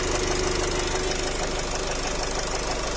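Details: Nissan X-Trail 2.0 dCi diesel, 250,000 km, idling: steady heavy knock about three per second over the diesel clatter; mechanic suspects a piston knock.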